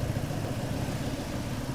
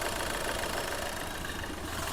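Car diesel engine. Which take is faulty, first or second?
second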